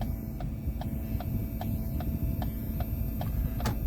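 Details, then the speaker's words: Ford with replacement 4D Tech Sync module: sharp, even clicks about every 0.4 seconds through the speakers with the blinkers on; background noise also rises with revs and any electrical operation, suspected grounding problem with the head unit. "here's the background ambionic noise i have another video which i will send you the link to of it making noise when it's off that was with the car not running there's background noise in it you hear it rev up"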